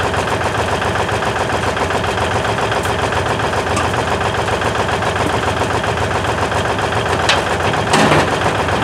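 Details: 1956 Lincoln Y-block V8, ex-tower engine, run inside a warm shop after choking: steady, regular idle pulse with even firing, no knocking or stumbling, holding smoothly after a cold start.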